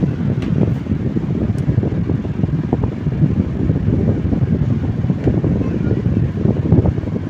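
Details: Table fan after shaft repair, problem solved: steady, even whoosh of air with no knocking, rubbing or rattle; the fan runs smoothly.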